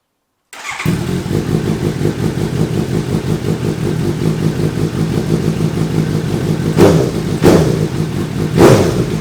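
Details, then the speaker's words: Suzuki GSX-S750Z with Translogic quickshifter installed, loose connector reclipped, running on stand without load: engine runs steadily with three sharp blips where ignition cuts; quickshifter working properly, check engine light still on. "That's how it's supposed to sound."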